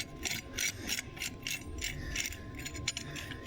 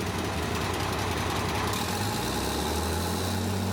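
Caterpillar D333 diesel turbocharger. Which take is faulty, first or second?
first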